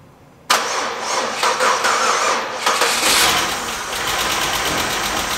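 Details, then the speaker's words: 2004 Pontiac Grand Am GT that sat about five years: it cranks, catches, and runs rough for a few seconds only on carb cleaner sprayed into the intake. Injectors stuck closed from sitting are suspected; this is not confirmed. "they need a heat cycle for them to unstick themselves so we're gonna have to run it off carb cleaner foreign [Music] a can down there crank it runs long enough that I can run out here and keep it going"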